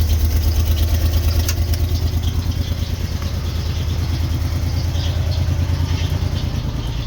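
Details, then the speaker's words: 1990 Ford Econoline van six-cylinder, parked, just started: lumpy, loping idle with uneven beats about three per second, irregular stumbles, not firing on all six; rough idle misfire, needs tune-up. "it's running it's running it's actually running not running in all six but it's running"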